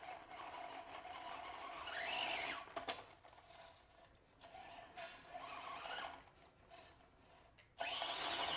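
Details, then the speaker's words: Axial SCX24 mini crawler with a Fedco 6x6 conversion kit, brushless motor and stock servo, climbing a chute: high thin squeaks rising and falling with the motor, like a creaky rocking chair, from the rear. The cause is not identified. "I'm getting some squealing in the rear here. You'll hear this when we get on the course, but something in the rear is giving me like an old rocking chair squeal."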